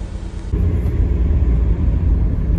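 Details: Freshly swapped 1.9 TDI PD130 ASZ engine in 2008 VW Caddy, running after install while warming up: steady low diesel rumble, smooth and even, no knocks or surging; normal running.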